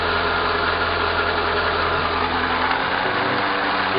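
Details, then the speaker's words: 2011 Renault Logan: no noise in first gear, but in fifth a steady droning hum with a faint high whine comes from the front right wheel. The wheel, CV joint or gearbox bearing is suspected, not yet confirmed. "Primeira marcha ele não faz o barulho. Vamos lá, coloca outra marcha, ó, segunda ou terceira, ó, se está dando para vocês ouvirem, hein? Agora. Coloca a quinta marcha. Ó. Vira agora o barulho."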